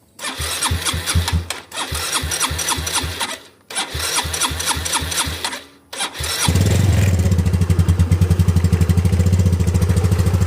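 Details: Ego LC 125 scooter cold morning start after DIY service: several bursts of cranking, then it catches and settles into a steady, even idle; normal, only slightly noisy when cold.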